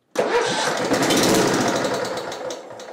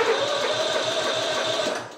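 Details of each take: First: Simplicity Regent mower, 14hp Kohler Command engine, spark present, no choke, full throttle: catches and roars briefly, sputters out, fires again; flooded carburetor, cleaning planned. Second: Simplicity Regent mower, 14hp Kohler Command engine, said to have electrical issues, on jumper pack: brisk even starter cranking about seven beats a second for two seconds then winding down; turns over freely.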